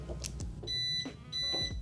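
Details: 2004 Mercedes S-Class (W220) after a new door lock assembly was installed: two clear high-pitched beeps about half a second apart on locking; central locking responding normally.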